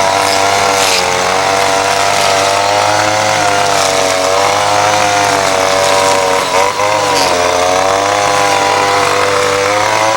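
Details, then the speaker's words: Ryobi SS30 30cc two-stroke string trimmer running steadily at high speed while cutting after a simple carburetor adjustment; pitch wavers slightly under load but no longer bogs down or stalls. "so just rent out a trim line but trimmers running great just a little bit of tweaking has definitely helped and it's probably not exactly fine-tuned but uh you know it's running great as far as I'm concerned here it's just not bogging down it's not stalling out"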